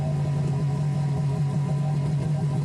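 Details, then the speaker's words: 2003 Yamaha GP1300R two-stroke jet ski idling on water hose after Riva Racing free flow exhaust install: steady even low burble, slightly loud but smooth; normal idle. "Here is a quick clip showing the ski running on the water hose so you can hear how the free flow exhaust sounds installed on the ski."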